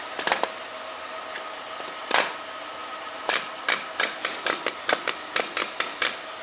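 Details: GM vehicle: sharp regular clicks about four a second over a faint steady hum; worn bearing or bushing suspected as cause of the clicking, not confirmed.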